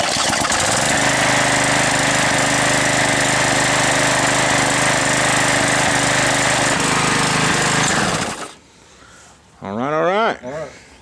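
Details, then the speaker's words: Neighbor's Briggs & Stratton edger, previously not running, after cleaning carburetor and gas tank and fixing corroded magneto contact points: small single-cylinder engine runs at a steady, even buzz about eight seconds, then shuts off cleanly; normal running. "it wasn't running so we pulled the carburetor out cleaned it and cleaned the gas tank and so glad to see it starts"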